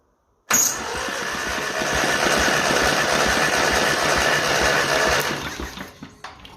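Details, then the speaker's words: 1955 Ferguson TE20 TED TVO tractor engine, plugs out, cranked for a compression test on cylinder three. Even cranking about three and a half beats a second. It reads about 83, slightly low but still good. "Okay. So we're at 50 60 70 50 60 70 80 probably 83. A little bit low there, but still fantastic."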